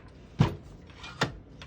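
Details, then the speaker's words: 1976 Smith-Corona Galaxie Twelve portable typewriter, ribbon direction switch set to pull right: two crisp clicks about a second apart, then a faint third, showing the ribbon advancing normally to the selected side. "flip it back and it'll start pulling to the other direction to this direction so we want it to pull to the right because all the ribbon is on the left so let's switch it back and now that's how you can tell if it's going to that side you can hear it clicking"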